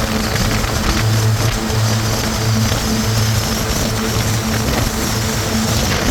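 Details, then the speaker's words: 1996 Sea-Doo Speedster boat cruising on the water after MPEM module deleted and rewired without it; steady, even engine drone under wind and water noise, no misses or surges; runs beautifully, normal. "And as expected, everything works just beautiful. I don't think I could ask this boat to run any better than what it does."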